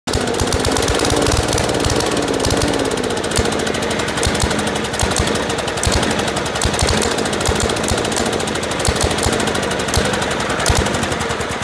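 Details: 1980s 8 HP Kohler single-cylinder, warm, inline spark tester showing inconsistent spark: chugs unevenly with stumbling beats and misses; first thought fuel, turned out a failing magneto.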